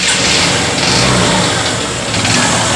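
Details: Honda CB Shine motorcycle at fast idle with some revving: rough, busy mechanical clatter from the engine; abnormal engine sound, source not pinned down.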